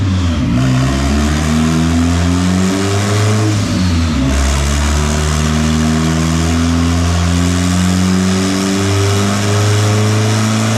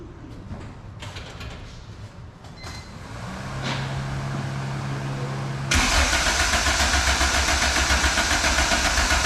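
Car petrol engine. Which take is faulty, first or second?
second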